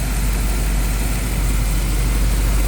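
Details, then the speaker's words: 1963 Impala SS V8, freshly built mild engine with 0 miles, broken in and adjusted: low, smooth, even idle through the exhaust with no rattling or knocking, quiet and healthy. "Really quiet engine. Idles really smooth. Sounds really good to the exhaust."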